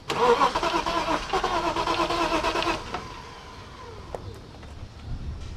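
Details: BMW 325is being cranked during fuel-pump troubleshooting: starter churns steadily about three seconds but the engine never catches; cranks, no start.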